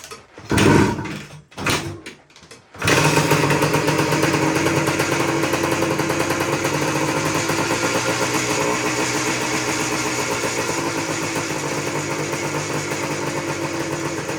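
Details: Suzuki PE250 two-stroke dirt bike revived after storage, choke on, no air filter fitted: a few kicks and pops, then it fires and settles into a crisp, buzzy ring-ding idle that runs steadily.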